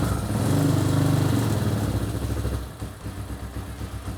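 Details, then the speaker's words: Carbureted Hawk 250 motorcycle, crashed and sat a year, just started (choke left on suspected as earlier no-start cause): catches briefly, then sags to an uneven chugging idle of about three to four beats a second, nearly stalling; idle far too low. "It runs! Horribly, but it runs. I'm pretty sure it's idling at like 12 RPM, which is just a smidgen low for a motorcycle."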